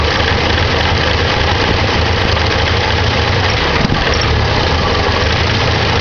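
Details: 1987 Ford Ranger 2.3L, started after sitting a while: low uneven idle that lopes and stumbles with a brief hiccup; rough idle, owner suspects carburetor needs rebuild or tuning.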